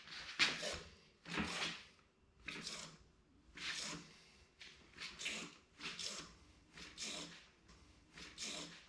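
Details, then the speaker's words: 2019 Specialized Fuse bike with RockShox Recon RL fork, after adding an O-ring to fix a clicking, clanking noise: soft airy squish with each stroke about once a second, no clank or knock; quiet fork compression. "all right here's a closer no more clanking noise"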